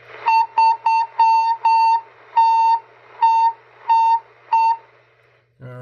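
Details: Cobra 142 GTL CB base station that squeals when the volume is above 3/4. About a dozen short bursts of a steady high whistle in five seconds over a quiet background; the interference is present on the plug's green and white wires.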